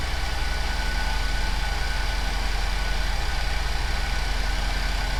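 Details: GM 3.6 Chevrolet Traverse, after alternator replacement: even low idle with smooth unbroken rhythm, no knocks, misses or whine; charging at 14.8 V. Normal idle.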